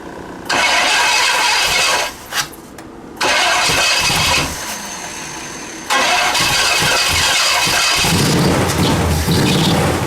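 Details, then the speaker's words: Pontiac Bonneville (Pontiac 455) Holley carburetor with stuck floats pouring fuel out; starter cranks in short bursts, engine barely catches then dies; flooding from stuck carburetor floats. "Well, that was anticlimactic because there's a freaking ton of gas coming out the... Since the floats are stuck, I'm going to try one thing real quick."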